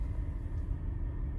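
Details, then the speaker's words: 2006 BMW X3 E83 2.5i with the engine light on idles low and uneven with a faint stumble: a misfire. The coil packs were recently changed, so the owner suspects an injector or spark plug. "the car still misfiring so that means at the moment because the there's a misfire either I have an injector problem or I have a I changed the coil pack so I'm not aiming for a coil pack or a spar plug"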